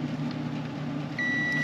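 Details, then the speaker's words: Multimeter continuity test on fuses of a Mitsubishi ductless mini split heat pump not heating: steady, clean high beep for about half a second; continuity present, fuse good. "the little unity actually has a good nice loud alarm let's listen okay good good let's check this guy that one's good"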